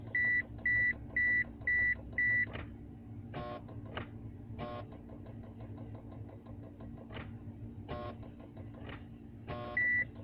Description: 1995 Mitsubishi eclipse gs non turbo automatic wont start loud clicks when trying to start and while putting the key in the on position and buzzing nosie NOT the door buzzer iys diffrent